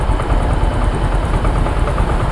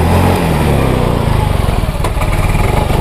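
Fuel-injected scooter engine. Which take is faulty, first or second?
second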